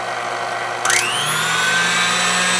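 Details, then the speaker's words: Older KitchenAid mixer running on low after a grease repair, with the owner having feared a fried motor. It spins up with a rising whine, then settles into a hum with a coarse, slightly uneven buzz; still rough, as the new grease has yet to work through. "Now turn it on low. It still sounds rough, but the grease is gonna have to work its way through, right?"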